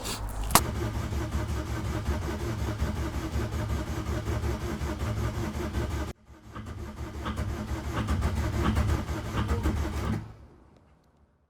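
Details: MK2 VW Golf GTD diesel stood six years, air bled, hoses clipped, glow plug fuse was twisted copper wire: two bursts of slow dragging cranking, about four turns a second, never catches; owner suspects weak battery. Crank no start.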